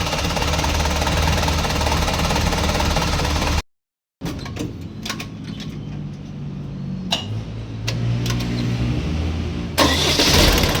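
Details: Isuzu 4BC2 diesel jeep engine that knocked under slight throttle, after injection pump reinstall, test run: even idle beat, revs cleanly and settles back with no knock now; normal running.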